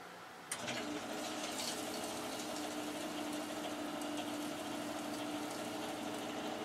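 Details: Boiler only a few years old, side-vented, first start of heating season on a cool morning, draft blower on, warm water flowing quickly. Soft steady hum with faint water rush, no knocking or rattle; very quiet, normal running.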